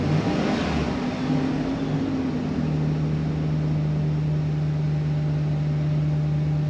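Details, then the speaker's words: 2015 Chevy Express van with intermittent bank 2 injector-circuit misfire: engine rises cleanly under throttle and settles into a steady even drone with no stumble; the misfire isn't showing right now. "and put it in gear all right so it's intermittent because right now it's perfectly smooth"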